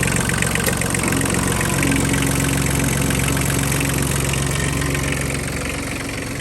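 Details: 1998 Kubota B1750 diesel 4x4 tractor with snowblower, hotwired start after battery boost: steady even diesel idle clatter with constant low beat, no misses or knocks; engine runs healthy.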